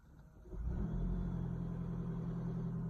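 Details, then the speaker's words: 2015 Lexus NX300h hybrid after oil change (4.4 L): engine catches after pressing the gas and settles into a rough, loud rattly low rumble; normal start. "But listen, if you hear this loud rattling noise, it's normal."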